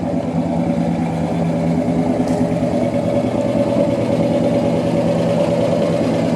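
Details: 1977 Chevrolet C10 V8 with Flowmaster-style exhaust, next-day restart after sitting nearly 2 years: steady even burble, deep loud exhaust, no knocks or misses; healthy idle.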